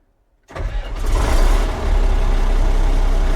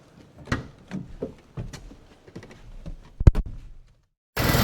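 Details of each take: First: Komatsu D85E bulldozer diesel after injection pump drive coupler repair and retiming, reassembled: silence, then the starter catches and it fires straight up into a smooth, even low rumble with no smoke; starts healthy. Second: Komatsu D85E bulldozer diesel, 7 hours after new injectors and a valve set: runs loud, rough and uneven in the shop, backfiring and blowing blue smoke, traced to the injection pump drive coupler loose, worn and cracked, which upset pump timing.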